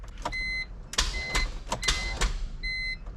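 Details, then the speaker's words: E46 M3 with 1.5JZ engine swap, EWS security module bypassed by jumping pins 1 and 2: repeated sharp clicks and dash chimes but no cranking; starter energised yet the engine does not turn. "At least it's wanting to activate the starter. That's weird though that it's not moving."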